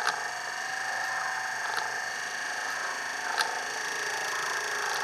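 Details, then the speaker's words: Rebuilt windscreen wiper motor on a bench supply, first at constant current of about 2 A and 7 V, then constant voltage at about 2.8 A: a steady, even electric whir that speeds up as the current is raised, with no knocks or grinding, running healthy. "As I turn the current up, you might be able to hear the motor get faster."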